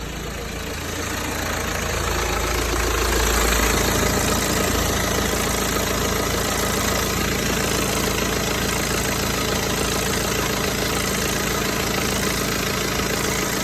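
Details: BMW 320d (58 plate) diesel at idle: steady clatter with a faint irregular extra knock that comes and goes. It is absent at first, then returns, both warm and cold. Cause unclear.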